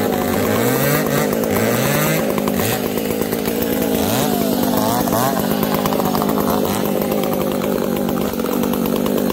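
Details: Two chainsaws at high revs, an Ironhorse 371xp among them: the 366 runs lean and the 70 hunts between lean and rich, popping and sputtering and refusing to tune; owners suspect bad gas.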